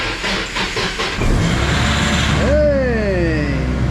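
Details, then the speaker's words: Nissan 240SX started after four or five months in storage with battery just fitted: brief even cranking, catches at once and settles into steady idle with falling whine; normal start. "how long has this been sitting? Like four months now? Yeah, four or five months. Started right up."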